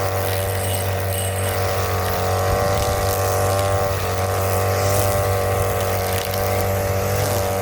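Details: Brand-new Hyper Tough 2-cycle 18-inch straight shaft gas string trimmer (26cc per description, 22cc spoken), first use cutting grass: steady crisp buzz with even high tone; runs clean and strong, started easily.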